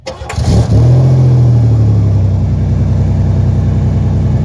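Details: 1991 Buick after turning round a fuel filter that had been installed backwards; fuel pump cycled 2–3 times to prime, no leaks. Short crank, then it catches cleanly and settles into a steady, even idle with no stumble or misfire.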